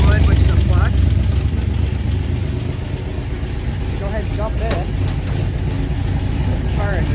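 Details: 1977 Chevy Camaro V8, just fitted with a new torque converter and Pypes Violator exhaust, warming up: deep, loud burble holding a steady, even idle, no knocks or misses; normal warm idle.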